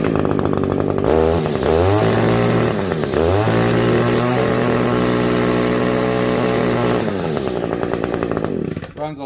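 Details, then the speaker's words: Echo SRM-210i line trimmer with barrel-style carburetor, after HI mixture screw turned in about one turn and backed out half a turn to flush fuel deposits: revs up crisply, holds a clean high scream; running much better than when it came in. "a lot better than when it came in here"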